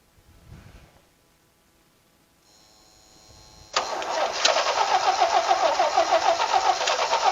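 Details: Vintage Toro golf-green tractor mower, later an airport tug, started on jumper pack and ether; after quiet fiddling the engine catches and settles into a steady, fairly even run around three and a half beats a second; running fine.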